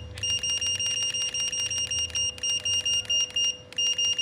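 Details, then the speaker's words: Godox V850 speedlite, switched on at lowest power: rapid chain of short high-pitched beeps, about three a second and evenly spaced; normal charging and ready tone, flash now fires. "Nah ini kita nyalain oke nah dia suaranya Udah keluar oke kita tes iya flashnya mau keluar ya teman-teman ya mau nembak"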